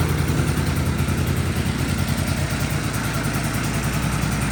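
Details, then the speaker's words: 1983 John Deere Liquifire snowmobile two-stroke, run without airbox, 41:1 premix plus oil injection, heavy smoking: lumpy uneven idle loping very slow near stalling; idle speed set too low. "The idle's set way too low right now, but it's also running 41 mix plus it's oil pump. So, it's really huffing the oil."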